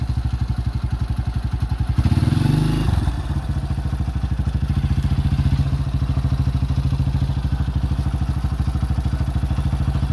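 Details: 2005 Honda CRF150F after valve adjustment and carb tune-up fixed a no-start, during carburetor adjustment: a steady, even single-cylinder idle thump with one brief throttle blip that settles back cleanly. Runs healthy.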